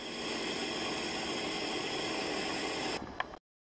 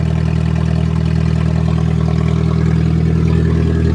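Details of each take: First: Vehicle at −8 °C, first start of the new year, revved to redline and smoky, then shut off: a steady airy hiss continues for about three seconds after shutdown, then cuts out; source unknown. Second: Nissan with 2.4 L 12-valve inline-four, cold start at −8 °C after a −11 °C night, a bit of smoke: a steady, even idle with smooth low rumble and no knocks or misses; running healthy.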